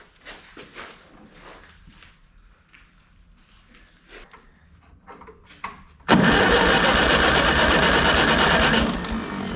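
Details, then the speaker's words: Ferguson TEA 20 85 tractor, dead, cranking with a spark tester on the plug: steady cranking at about three beats a second with no firing, and the spark is very weak. Condenser replacement is planned next. "has sparked but it's really weak"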